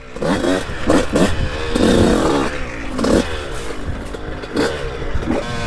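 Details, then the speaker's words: 2002 CR125 two-stroke on a trail ride after port work and carb rejetting: sharp revs rise and drop cleanly with each throttle blip, no bogging, snappy and responsive; normal throttle response. "girl's running good she's running real good Snappy on the throttle so responsive I love it"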